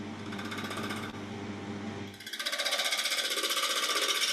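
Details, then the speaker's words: Saturn bowl being turned on a lathe at about 800–900 RPM, gouge gently introduced to establish rim thickness: fast rhythmic knocking as the tool bites and loses the out-of-round blank, an interrupted cut. "Just gently introducing the tool. You can hear that knocking, and you can probably see in the tail camera the shadowing of the timber."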